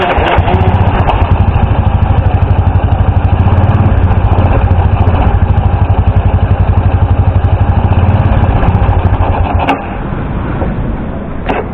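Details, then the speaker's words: Small motorcycle run through floodwater, air cleaner foam filter found wet: engine putters unevenly with a lumpy beat, then sags, misfiring from water drawn into the carburetor disrupting fuel flow. "Kasi pag nakasagap 'to ng tubig possible na didiretso doun sa karburador. Yung karburador natin pag nahaluan niya ng tubig papalya at hindi po mananakbo."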